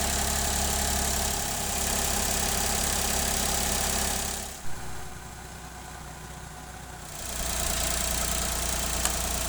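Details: Engine idling after replacing a faulty water pump that had caused rattling, grinding saw-like noise and overheating: smooth, even, very quiet idle with steady low hum and no rattle or grinding; normal idle.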